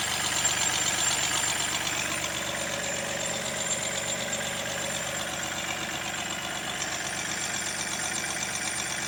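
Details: Mahindra TUV300 diesel engine at idle: bright, rhythmic squeak repeating about four times per second; source unknown.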